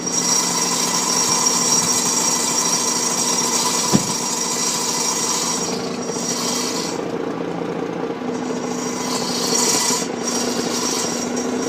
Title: Mazda RX8 annoying exhaust noise on idle